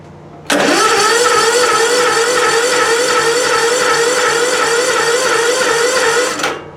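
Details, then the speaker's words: Small engine cranked without choke on a recovered weak 12V lead-acid battery, cap-zapped and charged at 14.4 volts: slow but steady cranking for about six seconds, holding speed without tailing off. "I'm not going to set the choke because I want to crank it a couple times to see how the battery holds up it's a slow crank but it's a crank"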